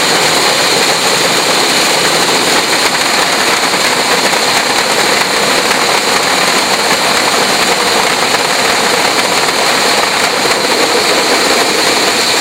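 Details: Fisher control valve in visual test rig, inlet pressure rising and vacuum at vena contracta: loud steady hiss with gravelly crackle, noise and vibration increasing with inlet pressure; heavy cavitation.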